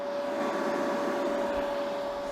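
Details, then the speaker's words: Yeswelder MIG 250 Pro welder, after about four months of use: its cooling fan runs full blast all the time rather than on demand, giving a steady, constant mid-pitch rush that is fairly loud even though a lav mic is recording. "It's not an on-demand fan, and that really kind of just drives me nuts because it's not the quietest."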